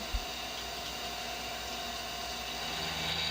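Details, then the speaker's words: CNC machining AR15 high rail gasblock side, spindle slowed to 1000 RPM; even steady cutting hiss with constant tone, chatter essentially eliminated, though surface finish slightly rougher. "I slowed down the RPM again to 1000 RPM, and that has essentially eliminated the chatter."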